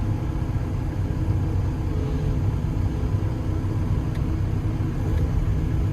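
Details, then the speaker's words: Develon DX160-7 excavator that had stopped slewing with a bang, after repair, full rotation: a steady low hydraulic drone with no crunching or knocking, and it stops where told; the slew drive sounds healthy. "Anyway, we've been all the way around. There's no crunchy crunchy So that's good. Ah, very happy with it."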